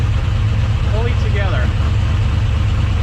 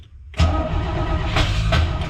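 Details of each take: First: Engine with a newly installed Sniper 2 fuel injection unit, in neutral, idling after clearing a flooded start: steady, even low rumble with a regular beat, then fading out; a normal smooth idle. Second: 1968 Camaro Z28 in neutral, keyed on too many times and flooded: short crank, then it catches abruptly and settles into a loud, slightly uneven idle; hard start from flooding.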